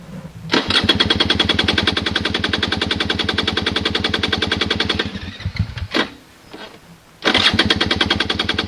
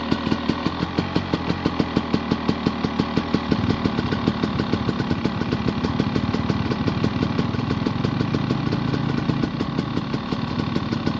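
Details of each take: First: Honda dirt bike, hard to start especially early in the morning, fuel on, no throttle given; rapid cranking bursts about three per second that cut out without catching, then crank again; trying the kill switch is suggested; cause not confirmed. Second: Honda dirt bike that is hard to start especially early in the morning, now running after starting; steady, even popping beat at low idle with no misses or knocks; normal idle.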